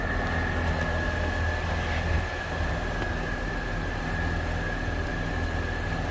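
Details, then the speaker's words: Pontiac Vibe with Corolla engine (90,000 miles, from a wrecked Corolla) first start after swap: smooth even idle, thin steady alternator whistle suggesting a weak battery; engine sounds normal. "daytime running lights motor sounds good motor sounds perfect actually"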